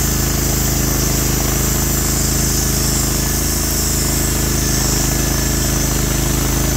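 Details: Norwood HD36v2 bandsaw mill cutting a big black oak log through the bark into 1.5-inch slabs, on day two of testing new roller guides that replaced the ceramic guides: the engine holds a steady loaded drone as the blade hisses evenly, with no surging or chatter. The cut is normal under load.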